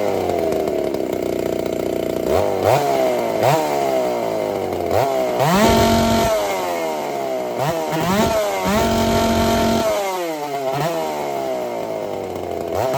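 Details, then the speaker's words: Ported Dolmar 7900 chainsaw, 82cc-class build with a big muffler, first test run after earlier carb issues: revs up and drops back unevenly in short bursts and never holds a steady pitch; runs decently but erratically. "she's running running pretty decent not satisfied uh looking for more but I think we're going to run it like this for a little bit because well I mean she's behaving kind of weird and erratic and stuff"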